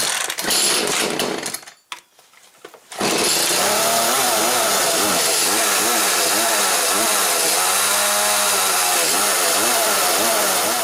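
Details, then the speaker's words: Echo CS310 chainsaw, cold, just after its primer bulb (purge pump) was replaced. Pull-start noise, then it fires and holds a buzzing, slightly wavering idle while warming up. The owner says this saw is cold natured and fine once warm, so the start is normal. "Now I want to rev it up a whole lot right now because it needs to sit there and warm up."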